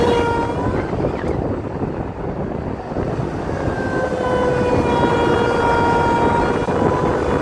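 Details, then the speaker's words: Land Rover Freelander 2 SD4 2.2 diesel under load: a thin whistling tone rises above engine and road noise as boost builds, starting near 2000 rpm. Boost-related fault suspected, not confirmed. "it looks like it comes it starts to come through when we reach close to 2000 RPMs so at this moment I think and I might be wrong to me looks like boost related"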